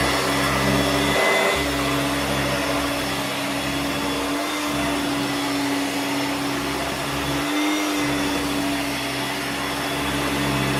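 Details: Hoover Turbomaster U5094 upright vacuum after refurbishment of both seized motor bearings (fan-case one had spun on the armature shaft), brush roll off: steady, even motor whine at constant pitch, no rumble or grinding; healthy motor.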